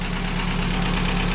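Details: VAZ 2170 Priora, engine rebuilt the previous year, idling before teardown: dull, fairly even knock in the low rumble; owner says it is not the lifters and plans to replace pistons; piston slap.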